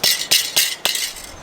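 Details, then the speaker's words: Diesel heater muffler in a DIY Sprinter camper van, internals in poor condition: sharp tinny metallic clinks about a quarter second apart; loose internals rattling, to be swapped for a spare muffler. "it's the diesel heater Muffler I had a spare one that doesn't rattle so that's what I'm changing because it sounds worse when you're going down the bumpy roads"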